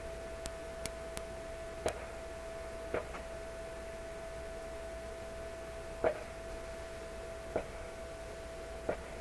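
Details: Canadian Electrohome tube console radio receiver at full line voltage after a resistor replacement: steady high whistle rings under every tap, with sharp clicks at each touch; a wiring error is suspected, cause not confirmed.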